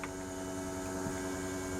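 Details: LS-swapped 1957 Chevy, ignition on before first start: steady even electric hum with no surging or ticking; fuel pump priming normally, engine still not starting.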